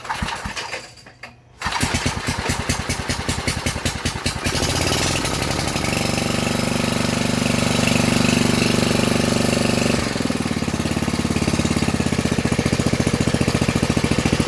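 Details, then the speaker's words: Old-style Briggs & Stratton/Tecumseh single-cylinder engine with electric start, built last week, cold start after sitting, choke on, throttle at half. After a pull it fires and settles into an even, steady putter of about three beats a second; healthy cold start. "I'm not going to let it run too long because we're in the tent, but I'll let you guys hear it. Once again, this is a cold start."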